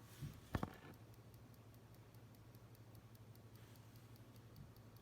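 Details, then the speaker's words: CL720 projector at power-on: the control panel blinks rapidly and nothing responds, with a faint hum and light regular clicks several times a second; the fault is unknown. "so power on everything's all connected correctly power it on and the control panel just flashes like this nothing responds you'll hear a slight click"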